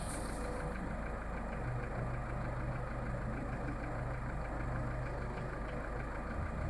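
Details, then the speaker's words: Skoda Fabia 1.4 at cold idle: a fast, uneven light knock about three to four a second from low in the block near the timing belt; dealer calls it normal piston slap; cold hydraulic lifters also faintly audible; source unconfirmed. "Больше всего его слышно где-то снизу. Официалы говорят, что это перекладывается поршень, и это все в порядке вещей."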